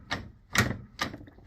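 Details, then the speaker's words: John Deere LA105 lawn tractor with a worn steering sector gear: four sharp clunks about half a second apart as the wheel turns, the sector lifting and hitting the bottom plate; fix is replacing the sector and pinion gears with bushings. "you can actually hear it and see it as the fan actually comes up and hits the bottom plate."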